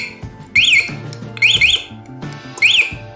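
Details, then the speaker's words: Locked motorcycle with MP alarm, buzzer covered to muffle it, shaken: shrill warbling chirps repeating about once a second with quiet gaps; vibration-triggered alarm sounding normally. "Kondisi motor sedang terkunci, makanya kalau digetarkan alarm akan"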